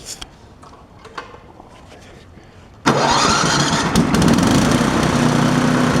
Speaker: Double check one more time. Make sure everything runs. Turn it on first.